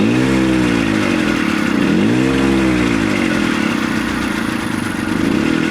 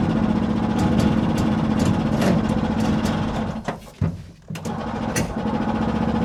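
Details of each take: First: 1970 Willam Fourgonnette micro van, 125 two-stroke, first start after 20+ years parked: catches, revs, settles into steady buzzing idle; running normally, smoky from extra oil, idle speed slightly low until warm. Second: 1970 Willam Fourgonnette micro van, 125 two-stroke revived after 20 years: long uneven cranking, about three beats a second, catching briefly then dying; flooded, with spark plug gap too tight, hard start.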